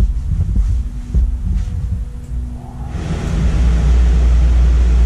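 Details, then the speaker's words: Predator 4400 inverter generator starting a 15000 BTU RV AC on high cool with a hard start capacitor fitted: a low hum, then a smooth compressor start to a steady drone; surge 23 amps versus over 50 without the capacitor. "now what we are going to do is put the hard start capacitor on and see the difference in spike"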